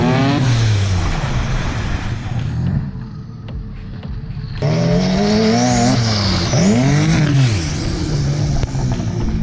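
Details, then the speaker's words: Twin-engine Mazda MX3 AWD drift car under hard acceleration: rising revs drop out for about two seconds then pick back up; when floored the rear engine gets no injection or spark, same as at the track; owner hoped it was the battery. "so i was driving it around and i had the same problem again that i had at the track which is as soon as i floor it the back engine literally like just chills does nothing no fuel injecting going on no spark going on"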